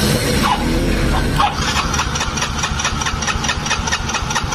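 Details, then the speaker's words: Mio J scooter during electrical service: with the key on there is no hum, and the starter spins the engine in steady pulses, about two a second, but it never catches. Crank no start traced to the ECU and MAP sensor. "Nah, ini masalahnya di bagian ECU dan sensor max."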